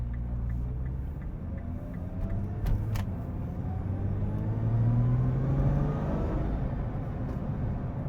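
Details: 2012 Nissan GT-R Premium, bone-stock 530hp 3.8L V6, AWD, 6-speed, 129,500 miles, camera on tripod at side of car: engine note climbs smoothly under hard acceleration with no rattle or clatter; owner says clunky only when cold.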